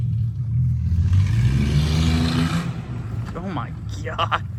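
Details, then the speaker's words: Ranger project truck, after rough idle and misfire chase with new MAF, plugs and wires, driven with loaded unsecured bed; revs climb cleanly and pull strong, no misfire; normal acceleration. "She rips. She rips. For a piece of junk, she rips."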